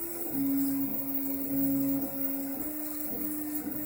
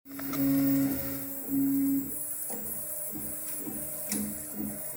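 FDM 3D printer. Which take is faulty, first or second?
second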